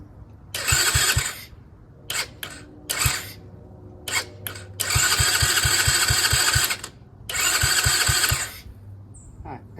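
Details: Chinese Tao Tao 125cc ATV quad with new stator, pickup and ignition switch, safety switches bypassed and a dirty carburetor: repeated brisk, even starter whirrs turning the engine without catching; the starter engages and cranks normally.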